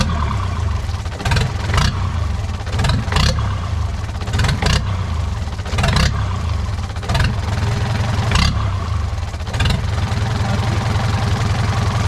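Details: Used diesel engine bought for a boat, running after starter and battery-cable troubles: steady low diesel clatter holding an even idle, with a few louder surges over a noisy workshop; running fine.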